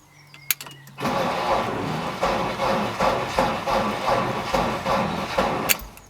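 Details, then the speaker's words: BMW E36 that starts on a jump start: a slow, labouring crank under three turns a second, no catch. Owner suspects the battery isn't giving the starter enough power; battery test planned. "not a lot so I don't think there's enough power getting through to the start motor to kick it around"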